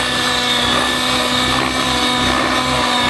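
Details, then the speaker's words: Nitro RC helicopter engine with the high-speed needle richened: a loud high-pitched buzz that goes lazy and loses power under sustained load as the smoke fades, showing a lean ("skinny") mid-range needle. "You hear it getting lazy? Yep. Kind of like it's running out of power, yeah. Yep. It's just kind of skinny."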